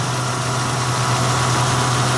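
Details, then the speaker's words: Mazda in Brisbane found nearly out of oil, idling just after topping up to just over the full line: smooth, even idle with steady low hum, no ticking or tapping; very quiet, healthy engine. "that's so quiet that was it obviously you don't have any oil"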